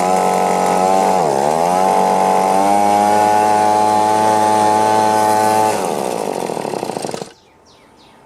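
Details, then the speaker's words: Echo PB-2520 two-stroke blower, previously laboring at high rpm and not idling, after cleaning and reassembly: revs up cleanly, holds a steady even high buzz, then drops back and shuts off without stumbling; normal running. "Alright, that's sounding better."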